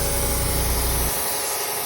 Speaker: kind of like your the trying to call you across the dance floor because she wants you to dance with her. Come over here. It's possible that you have an exhaust leak.